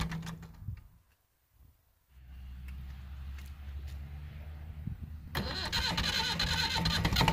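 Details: Massey Ferguson MF35 tractor, A23C standard diesel, cold weather, new Turner parallel glow plugs replacing Lucas series type, held on via toggle switch: slow regular cranking about three seconds, then catches cleanly into firm, even diesel clatter; normal cold start.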